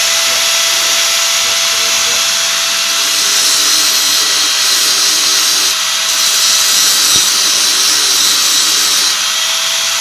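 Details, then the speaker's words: Hand angle grinder after installing new rear bearing, previously loud and rough: steady high whine with even, smooth hum, no grinding or rattle; runs smooth with more power. "Mantap guys, suaranya jadi halus, tenaganya juga bertambah."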